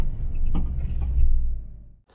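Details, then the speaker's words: Fiat 500 Abarth recently lowered on coil-over suspension: dull thunk over road rumble from the passenger front strut tower, traced with a GoPro to the strut top mount, which was replaced and the upper mount improved. "thunk coming from somewhere near the passenger side strut tower"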